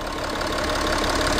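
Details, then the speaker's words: 2012 Audi Q7 diesel at idle after injector repair: an even, steady diesel clatter with no hiss or leak noise. The hissing is fixed and the engine runs healthy. "fixed the hissing noise fixed and the engine sell healthy apps"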